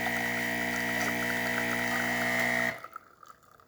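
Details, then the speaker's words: Saeco Incanto espresso machine, new grinder fitted after broken ceramic burr, pulling a test espresso shot: steady even pump buzz at constant pitch, shuts off cleanly; pump working normally. "Our machine is gonna pre-infuse that grind and it's gonna extract it throughout these spouts. Nice steady flow coming out of the machine."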